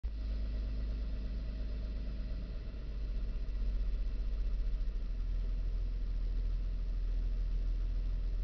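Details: 2000 Nissan Xterra idling through reverse, neutral and drive; low, deep idle wavers and surges slightly instead of holding even; owner believes the RPMs are not quite correct, cause unconfirmed; rough idle.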